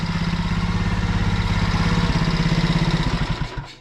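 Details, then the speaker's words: Alfa 110 moped, reassembled after a valve-like knock. Idles with an even thumping beat and no knock, then is switched off. Mechanic notes cylinder wear and a rocking piston but calls it fine. "Если поменять цилиндр, если поменять цилиндр на хороший, там вынос очень большой, и поршень сильно болтается вот вверху, вот как раз где кольца, то работал бы ещё тише. А так красота."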